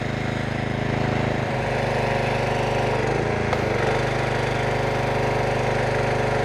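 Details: Troy-Bilt pressure washer with a Briggs & Stratton Quantum engine after full service (oil, carburetor, air filter, new O-rings): steady, even drone with a slight dip mid-clip as the pump takes load. Runs smooth and healthy, with no leaks at the handle or hose.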